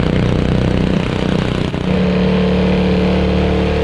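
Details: After ultrasonic cleaning of its varnished carburettor, a curb-find Honda HS520 single-stage 4-stroke snowblower throws snow with a strong, steady drone that dips briefly under load and recovers to a smooth, even note. Normal running under load.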